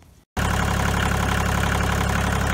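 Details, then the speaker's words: 1986 Kubota L2550 4WD diesel tractor, about 1900 hours, cranked but wouldn't start at about 9°F; gelled fuel suspected but failed fuel lift pump found. With a new pump it idles steadily and evenly, first run in about a month. "so anyway i was able to get the thing running for the first time this is the first time coming about a month"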